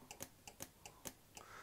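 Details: Returned LonWorks control circuit board from around 1999, after repairing the faulty relay that damaged the PCB: crisp paired clicks repeating about every half second in a quiet room; relays switching cleanly, all good.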